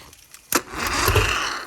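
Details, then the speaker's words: 1997 Champion bass boat engine, which had trouble getting on plane, hotwired by crossing terminals with screwdriver: sharp click, then short rough catch that fades without running; hard start. "All right, so as you can hear, we got the boat running. We just had to fiddle with it a little bit, but I'll show you guys here."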